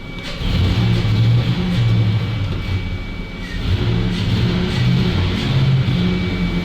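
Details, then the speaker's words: ZIL truck warming up: revs rise and fall unevenly, periodically choking and bogging between blips; owner suspects a pressure regulator not holding pressure, possibly spark plugs, unconfirmed. "Ну что работает он периодически захлёбывается то есть всё-таки проблема есть у нас"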